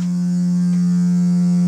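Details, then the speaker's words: Two-storey townhome with low water pressure for about 6 months; a steady, loud low howling drone at one pitch whenever any faucet runs, in the bathroom, kitchen and upstairs; cause not identified. "same here in that was in the bathroom same in the kitchen low pressure and being that it's two stories it'll do it upstairs as well just hear a howling [Music] sound"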